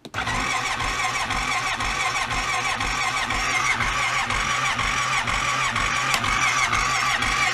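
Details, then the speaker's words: Cold start attempt in freezing weather (14°F) on a carbureted Honda Rincon quad with a carburetor fitted a couple of years ago: steady, unbroken cranking at about two turns a second with no firing at all. Extended cold no-start, fighting carburetor and fuel. "well this is more like a real cold start right fight with the carburetor and the fuel for an hour and then it runs like crap"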